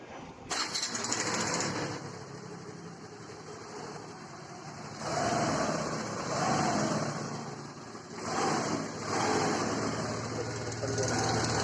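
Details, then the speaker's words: Hero Duet scooter engine after repair: catches after a short crank and settles into an even idle with slight rev rises, no knock or rattle; before the repair the engine made heavy noise and knocking. "आवाज जरा से भी नहीं engine में पहले का यह बहुत ज्यादा आवाज करती थी और बहुत खड़का इंजन में था"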